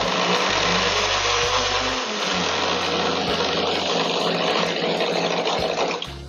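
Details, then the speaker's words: Countertop blender after zero-cost repair, tested with ice, water and iced tea mix: steady high whir with ice rattling, even speed, no grinding or labouring; normal blender running. "seems to be doing good i'll do it one more time at a little higher speed for a minute"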